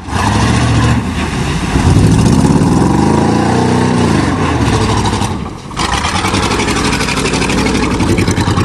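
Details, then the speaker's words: 1988 Chevy truck with 305 V8, mudding: revs hard then stumbles with an uneven, lumpy beat instead of a clean pull; engine missing under load. "that she's missing already can't believe this is the first time you muttered that thing definitely missing"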